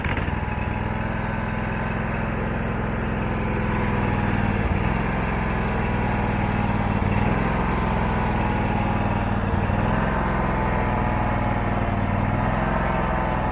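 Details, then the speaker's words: Abandoned Husqvarna ride-on mower, about 1100 hours, after battery cleaning: small engine running rough, beat sagging and stumbling every few seconds, not wanting to take throttle; carburetor needs cleaning; charging rose to about 14.6 V. "okay that needs a carburetor clean bad you hear it's starting to not want to go in throttle"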